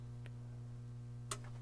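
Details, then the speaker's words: Pioneer SX-1280 receiver powered up through a 300 W current-limiting bulb: low mains hum, then two sharp clicks about a second apart as the speaker protection relays engage normally. "and there goes the protect relays so that's good"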